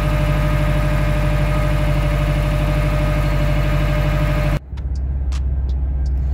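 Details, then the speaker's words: 2012 Subaru WRX at about 90,000 miles, driving warmed up in winter: a smooth, steady engine hum with no squeal or chirp. The owner suspects the throwout bearing for a screech on cold morning starts that fades after warm-up; here it is quiet. "So I'm driving right now and there's no sound at all. Sound is gone, it's warmed up. It seems to only happen cold starts in the morning, or just in general when I first start the car."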